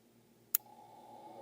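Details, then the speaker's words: Bimetal thermostat inside an EnjoyBot 12V 100Ah LFP battery, with water poured on it beside the microphone: one faint, sharp click as it opens; it is rated for 75 °C, so the BMS has no low-temperature protection. "okay so it clicked once and now it's gonna click one more time when it's going to close back"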